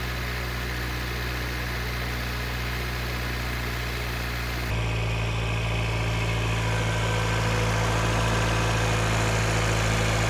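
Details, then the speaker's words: Engine idling in park about 10 minutes after replacing fake cheap injectors with proper GB remanufactured fuel injectors: smooth even low idle near 800 rpm, steady hum, no ticking or misses; lower idle than ever before. "Okay, it's been running about 10 minutes. It's idling lower. Hopefully you can hear that. Sitting at about 800 RPMs, which is lower than it ever was idling before while in park."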